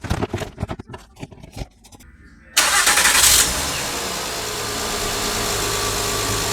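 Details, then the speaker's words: 2012 Honda Pilot 3.5L J-series V6, which had a cylinder 3 misfire, after a valve lash adjustment: a brief crank, then a smooth, even idle with no top-end ticking, much quieter than before. "that's really smooth and it's much quieter than it was I'll tell you that it's a job okay bye"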